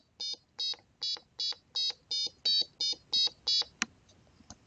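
Ten short high-pitched beeps, evenly spaced at about three a second, clean and steady; the buzzer is sounding correctly.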